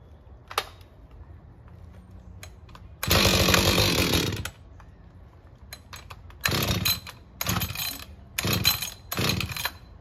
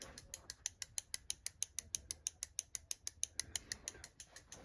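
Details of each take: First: Husqvarna 562XP chainsaw fires in short loud bursts and dies instead of idling, hard to start; air leak found from a bent decompression valve stem, dirty fuel filter replaced, still acting up. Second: Husqvarna 562XP chainsaw, 67 hours, warm, won't idle and hard to start, during diagnostic auto test: crisp evenly spaced ticking of the fuel solenoid valve; fuel solenoid valve clicking normally.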